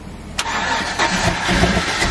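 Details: Single-cab cateye Z71 truck V8 on its first start after its cylinders, engine and fluids were drained with the spark plugs out: the starter catches and the engine fires into a rough, uneven idle with loud clatter, then keeps running.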